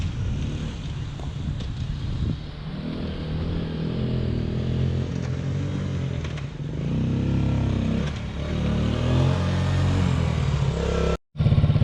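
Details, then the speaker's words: Yamaha Grizzly 80 ATV, 80cc single, after full engine rebuild; revs up and settles cleanly and evenly under throttle, no knocks or misses; normal running. "Alright, it's all done. It goes pretty good for a little 80cc. Fully rebuilt, all ready to go."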